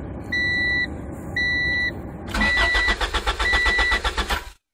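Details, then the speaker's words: 1993 Honda Prelude, hot interior, no start: two chimes, then steady starter cranking about four turns a second that never catches; no fuel pump prime heard beforehand, though it primes and starts when cool at night; main relay failure suspected. "I've also noticed when you start it at night you can hear the fuel pump running and when uh you start it during the day you can hear the fuel pump not run you can hear it actually not prime so I believe it's a main relay problem"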